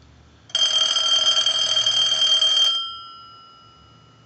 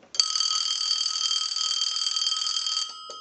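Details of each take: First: Bell South clear Lucite Trimline telephone, ring cycle sent from a line analyzer with the neon bulbs flashing: two bright warbling bursts, about two seconds on and four off. Normal ringing. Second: Bell South clear Lucite Trimline telephone on a line analyzer before repair of the neon lamp circuit, ringer neon lamps in the base: a single shrill ring under three seconds, then the phone seizes the analyzer and stops. Ringer cuts out after one ring.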